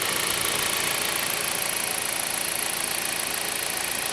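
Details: 2008 Jeep Patriot Limited idling after an oil change, ABS lights now on: even, steady idle with a hissy top end and a soft pulse about four a second, no knocks; engine sounds healthy, normal idle.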